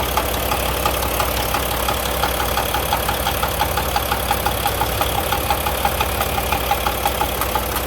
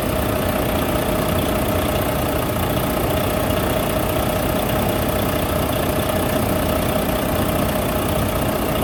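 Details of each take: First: Volvo D13 semi-truck diesel at idle with a loud, sharp knock from the head, about three a second, caused by a seized rocker roller with a flat spot and a worn cam lobe. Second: Volvo D13 semi truck diesel engine after repair of a loud knocking noise: steady, even idle with no knocking through the normal clatter; sounds healthy.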